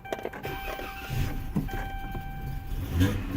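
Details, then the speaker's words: 2014 Dodge Charger 3.6 V6, cranks but no start, no fuel pump prime buzz heard: with starting fluid sprayed in it catches and runs roughly briefly then fades, suggesting it is likely not getting fuel pressure, fuel pump suspected. "Yes, y'all hear that? Okay, ladies and gentlemen, what we have basically verified is that the car likely is not getting fuel pressure, okay?"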